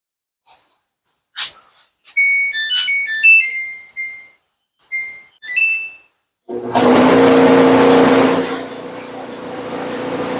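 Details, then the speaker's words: Samsung dryer running makes a loud harsh roar with a steady droning hum and vibrates hard; something is suspected to be caught in the blower fan, likely lint or dryer sheets, not yet confirmed. "you can hear that loud noise. Can't really tell that the machine is vibrating a lot, but it is. So, I know from my experience that usually if uh your machine is making that kind of a noise and especially if it is vibrating that hard, it means that something is caught up in the fan."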